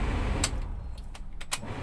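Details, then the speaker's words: Toyota Etios AC blower after cleaning and reseating the blower parts and refitting the cabin filter: soft, even rush of air with a low rumble, no rattling or scraping; the earlier blower noise is completely gone; normal operation. "ये आप देख सकते हैं, ये आवाज़ पूरा बंद हो गया टोटली।"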